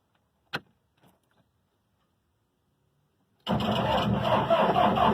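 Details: Gehl DL10L-55 telehandler diesel no-start: silence, then the starter spins the engine over with a rough, even churn for two seconds, but it doesn't catch.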